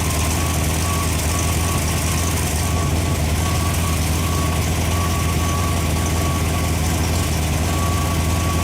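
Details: Freshly rebuilt Ford FE 390 V8 (Edelbrock, fuel-injected, mild cam) on an engine run stand, fully hot after heat soak, holding temperature with oil pressure about 55: steady, even, smooth idle with no knocks or misses, a healthy engine.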